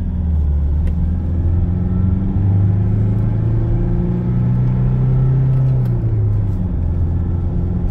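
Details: Toyota Hilux 2.5 driven at 80 km/h after repair of a 50 km/h vibration and 80 km/h bearing noise: steady low road rumble, no hum, growl or rhythmic vibration; smooth, healthy drivetrain.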